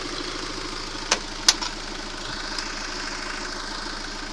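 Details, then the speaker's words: Steady idle with the timing chain tensioner held by a bolt; knock nearly gone, only odd faint taps left. Knock comes from the timing chain tensioner. "А теперь я его откручиваю. И вот он загремел."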